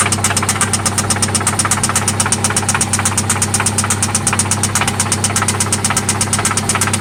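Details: 1995 Toyota Celica ST idling after an oil change and spark plug replacement: a loud, constant, sharp knock about two per second over a steady idle; it seems to come from one spot, and its source is undetermined.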